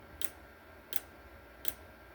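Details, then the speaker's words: Oscillating voltage relay while a permanent magnet is moved away and back to vary its frequency: sharp single clicks about every 0.7 seconds in a quiet room, steady with no obvious speed change here. "If I back off, the amount of hertz goes back down. Then I go back up. It'll go back up."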